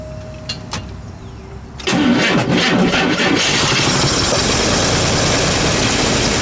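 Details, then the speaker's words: 1953 Chevrolet Corvette, 235 cu in six, 6-volt system, automatic, cold start on choke after needle and seat fix: quiet, then catches at about two seconds and settles into a steady, very slow, low, even idle; healthy. "It's got a very slow idle speed, so you can tell it idles pretty slow."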